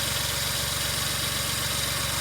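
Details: 2003 Suzuki Jimny JB23W, K6A engine, after water pump replacement and refilling the radiator: smooth, even idle with a steady low hum, no knocks, whines or belt squeal; normal idle.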